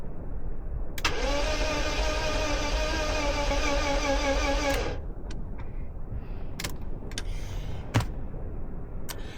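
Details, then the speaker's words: BMW E36 pulled from a field, out of gear on its first attempt to start. Starter cranks fast and evenly with no labouring beat between strokes and never fires: sounds free-spinning, low compression suspected, compression test planned. "H I think I'm going to pull a plug and I'm going to check compression because it sounds like it has it sounds like an engine that's just kind of free spinning."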